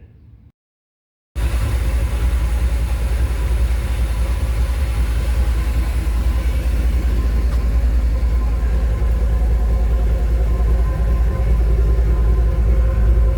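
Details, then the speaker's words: Dodge truck restarted after a can of Sea Foam sprayed into the throttle body and left to heat soak; it has been wanting to stall at stop signs and red lights: a loud, heavy low rumble with an uneven pulse of about 2.5 beats a second. "What it's been doing to me is acting like it wants to stall out at stop signs and red lights."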